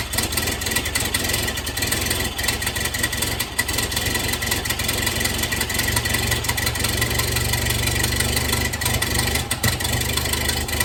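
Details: 1931 Ford Model A four-cylinder, long stored in a barn, just started with starting fluid; loose, uneven, hunting idle under hissy background; timing advanced fully just to idle, owner thinks ignition timing is far off.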